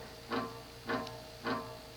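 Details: View Fan V36N-3M WH 36" 3-speed industrial ceiling fan, made February 1987, bought new-in-box: a fuzzy cyclic buzz swells about every half second over the hum, a magnetic flux buzz from the rotor sitting off-centre in the stator; fix is to open the motor and reset the rotor, possibly replacing bearings.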